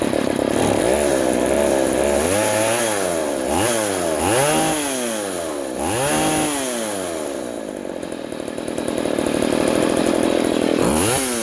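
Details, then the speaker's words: Poulan 3400 / Craftsman 3.4 vintage chainsaw after the carburetor metering (needle) lever was lowered: revs rise and drop cleanly about every second with no bogging or stalling. Before the fix it smoked, loaded up and died when warm. "there that's better before it was smoking and loading up and and then once it warmed up it was like completely bogged down and then it would just die"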